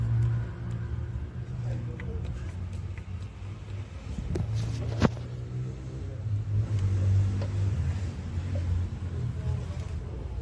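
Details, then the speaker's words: 2013 Hyundai Accent idling with a deep, uneven snoring rumble, the pistons already having play in their bores: piston slap. "a este Hyundai gas en 2013 se le oía un ronquido al estar arrancado los pistones ya tenían"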